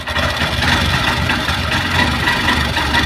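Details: Honda Shine SP 125 BS6 motorcycle just started: loud, rough, clattery idle with busy mechanical rattle over the exhaust, piston and valve noise suspected, won't take throttle and stalls by itself; abnormal engine noise, cause unclear.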